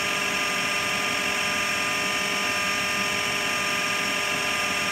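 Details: AEG Lavatherm 56800 dryer running after removing a relay on the circuit board, motor previously turning only one direction; steady even whirring with constant high hiss, no knocks or scraping; running normally.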